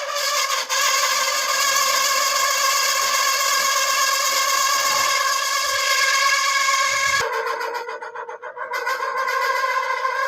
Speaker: Pag ganito kaingay ang electric fan mo, kuha lang tayo ng langis sa motor.